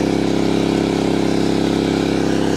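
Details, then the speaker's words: MaXpeedingRods MXR3500 portable inverter generator under 2000 W then 1000 W electrical load: steady even engine hum at constant pitch, speeding up with load, no surging or knocking; voltage holds 231–233 V, running healthy. "Donc le voltage ne baisse pas beaucoup. 233 volts à 1000 watts et à 2000 watts 231 volts."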